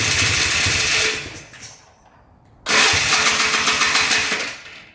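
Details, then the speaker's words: 2001 Polaris Xplorer 250cc two-stroke ATV with a replacement engine on its first start, running 40:1 premix. It revs to the moon, falls off and races back up, and the idle won't come down. An air leak is suspected; carb boot to be sprayed. "still sucking in the air from somewhere. You could hear it rev to the moon again."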